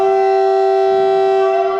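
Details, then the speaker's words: Signal whistle blown before starting the repaired 106A model Winton petrol engine (18 spark plugs cleaned): one loud, shrill steady-pitch blast about two seconds; whistle sounding normally. "this will be a handful that we can blow the whistle before we start the witne engine on open date and it sounds like this"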